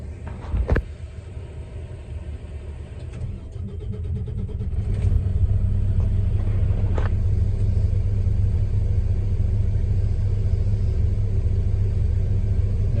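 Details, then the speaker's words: Detroit Diesel heavy-duty truck engine after the quantity control valve was replaced: a deep, steady diesel rumble settling after start with an even beat, and the idle rpm now stable with no surging. "you can see that the rpm at idle is stable now you don't hear the surging anymore"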